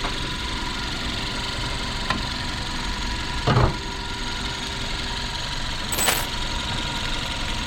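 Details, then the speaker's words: Hyundai Avante MD (used, clean, interior near-new) engine at idle, heard with hood open near alternator and A/C compressor: quiet, even idle with soft steady hum, no knocks or ticks; normal, healthy idle. "지금 엔진 소리 들리시나요? 상당히 조용하죠?"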